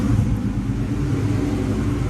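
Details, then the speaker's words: A 1998–2004 Mustang Cobra at first start after its fuel pump basket was modified for more flow, fuel system primed after lines were off. It gives a steady, even low rumble with no stumble or surging, and no gas smell or leaks: normal idle. "sounds good just make sure there's no leaks under here I don't smell any gas I don't see any gas so I would probably say we're good"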